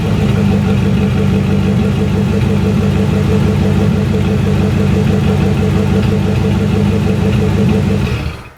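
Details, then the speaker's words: C4 Corvette V8 at idle after head gasket job, front Y-pipe cat delete and Cherry Bomb mini glass packs; popping fixed by adjusting a too-tight passenger-side valve; steady, even idle with deep exhaust burble, no popping; normal idle. "All right, so I got rid of the popping. It happened to be one of the valves was too tight on the passenger side. Man, was that a bear. Now she idles smooth."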